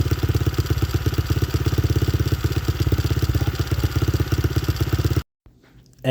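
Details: Honda XR70 with freshly installed TB 88cc big bore kit and Hotcams cam chain, started first kick: even quick single-cylinder thumping at steady idle, no knocks or misses; normal healthy idle.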